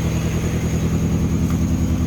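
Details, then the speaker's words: Mini Cooper after cylinder head refitted, idling: rough uneven idle with lumpy stumbling thump and vibration; misfire on one cylinder; an exhaust-side adaptation kept failing. "say what's going on you can feel it gosh not happy it's like it's missing it's firing"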